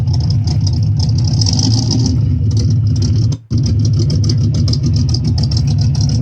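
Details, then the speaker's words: 1958 Chevrolet Corvette 3-speed V8 with 4-barrel carburetor, listening at the exhaust: deep, even idle burble with steady low exhaust pulses, no misfire or tapping; normal idle. "Okay, so there's the engine noise and the exhaust noise."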